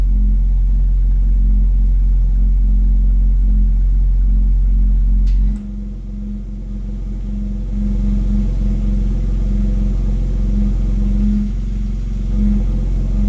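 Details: BMW X3 M exhaust at idle: a steady low hum with a pulse about 3–4 per second that comes and goes and stops when the accelerator is pressed 1 cm without revving. Humming or rattle of unknown origin, at times much louder.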